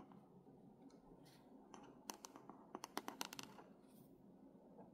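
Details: New reMarkable 2 tablet with its stylus drawing on screen; faint scratchy drawing with a cluster of sharp ticks and pops in the middle, like a marker on a whiteboard rather than pencil on paper; stylus squeak and popping.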